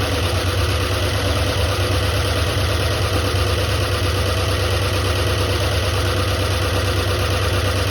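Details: 1976 Ford F-250 highboy, first runs after 15 years and a carburetor rebuild (stuck needle and seat): low, lumpy, stumbling idle at about three pulses a second, not firing on all cylinders.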